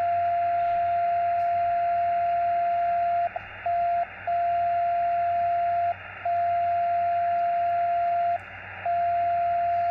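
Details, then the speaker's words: Xiegu X6100 SDR ham radio with no antenna connected: steady mid-pitched tone near 700 Hz with brief dropouts in a repeating pattern, like someone tuning up; unexplained birdie, owner unsure it comes from the radio. "that might not be the radio although when I move it here I swear it sounds like somebody tuning up but nobody's going to tune up for that long really"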